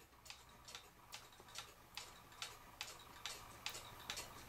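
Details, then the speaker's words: Vintage Japanese Mi-Ken Mickey Mouse moving-eye animated pendulum clock, possibly mid-1960s, after cleaning the movement, re-oiling and straightening the pendulum bob, checked level before hanging: crisp, even tick-tock about two beats a second with no limp; clock in beat. "i'm going to go ahead and put my level up against it listen to it tick and see if it sounds right at level"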